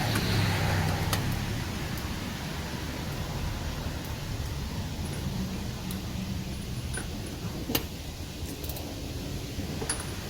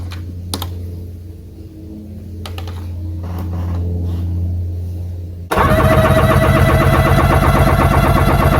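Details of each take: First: 1996 Sea-Doo GTX after engine rebuild, low fuel: steady cranking about four turns a second never catches; would only run a couple seconds on fuel poured in, because fuel selector was off; no start due to fuel selector off. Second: 1996 Sea-Doo GTX after engine rebuild, compression test on PTO cylinder: after handling clicks the starter spins engine in fast even beats with no skips; normal cranking.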